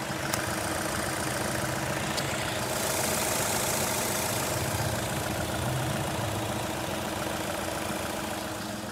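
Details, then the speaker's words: VW Polo 1.6 petrol after repair, road-tested through all gear shifts without problems, now parked idling; even, steady clatter with no stumble or uneven beat, smooth normal idle. "गाड़ी का sound में आपको फिर से check करता हूं बिल्कुल smooth है"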